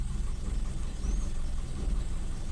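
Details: Toyota Kijang Super, carbureted, idle rpm raised to cure hard morning starting, starts in two cranks: low steady idle hum with an even beat, no misfire or stumble; normal idle.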